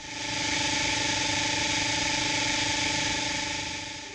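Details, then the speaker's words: RIDGID SeekTech SR-20 line locator audio: steady hiss of static over faint held tones, as audio turns fuzzy when the tracing line shows signal distortion instead of sharp; locator static from signal distortion. "The audio clarity reflects signal distortion detected by the tracing line. When the tracing line appears sharp, the audio will sound clear."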